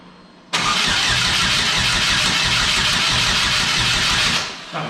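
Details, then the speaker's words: GM Ecotec-swapped Exomotive Exocet, first start attempt: starter cranks evenly about four seconds but never fires, crank no start; plugs came out wet, spark plugs suspected not tightened, spark to be checked. "so it's looking like uh spark plugs may not have been tightened we're gonna double check that now and check for spark"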